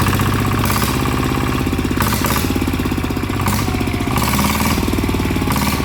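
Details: ET95 single-cylinder diesel upgraded to 120 with new spring and performance intake/exhaust capsule muffler, first run after rebuild: steady, even idle thump with crisp exhaust bark, no knocks or misses; normal idle.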